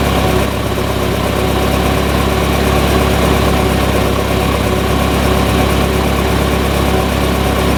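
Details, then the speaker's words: 1994 Mazda Miata at idle after replacing the header gasket, flanges still pitted and irregular: loud steady idle with a fast, slightly uneven puffing tick; small exhaust leak at the header flange, not bad. "i'm going to enjoy the car the way it is because it doesn't it doesn't leak badly let's start it up and i'll show you what i mean"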